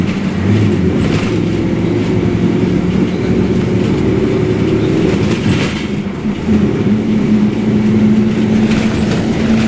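Under the steady diesel drone a loud humming tone rides along with road speed while driving; a worn, noisy rear differential.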